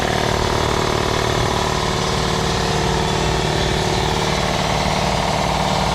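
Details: New, never-run Eastwood 220V air compressor freshly wired with 10-gauge wire, first start: motor spins up cleanly into a steady thumping of about three pulses a second, no squeal or grinding; normal air compressor running.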